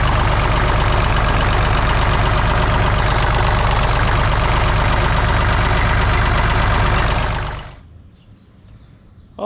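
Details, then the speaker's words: Massey Ferguson 35 tractor, Perkins A3.152 diesel, after head gasket replacement for an oil leak. Steady, even clatter at idle, no misses or knocks, then clean shutdown; healthy. "she runs as good as she looks now i just ran her up and down the street a bunch of times at high rpm got the engine to full operating temperature so far no leaks so i think we'll be all right"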